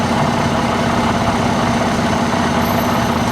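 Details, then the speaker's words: Supercharged Jaguar XJR V8 idling unevenly, low pulse wavering, right after a cold-start attempt; broken supercharger intake boot sucks unmetered air past the mass airflow sensor, causing the rough idle; check engine light on. "i think we found why it's uh not running too happily tk found a broken boot on the supercharger here right there look at that just sucking in air past the mass airflow sensor so that's problematic for sure"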